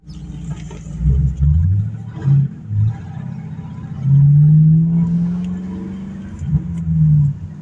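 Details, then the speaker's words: 2006 Mustang GT S197 5-speed V8, warmed up, after timing chains, cam phasers, guides and alternator replaced, mufflers removed: deep throaty rumble and cackle on throttle blips, clean, no rattle; healthy. "It's got a nice little rumble to it. No mufflers, they just took them off. We'll change that, but hey, for now, that sounds all right. Nice little cackle to it."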